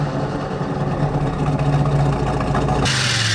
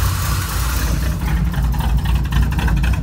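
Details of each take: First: Small-block Chevy 350 V8 with Quadrajet carb in a square-body truck, initial timing set to 12 degrees and idle turned down: lumpy idle burble, then a quick blip rising cleanly in pitch, crisp throttle response, no longer lazy. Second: Square-body Chevy truck, small-block Chevy 350 V8, after new valve covers and carb adjustments; uneven lumpy idle with irregular low pulses, still not running right; timing later rechecked; rough running from incorrect ignition timing.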